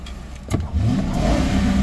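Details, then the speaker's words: 2010 Ford Crown Victoria Police Interceptor with 10,767 engine hours, reported to overheat after 20 minutes of running, jump-started: a smooth rev from quiet idle to a full even roar with no knocks or rattles, a healthy engine. "motor sounds really good and the hours is 10,767 hours motor is good no doubt"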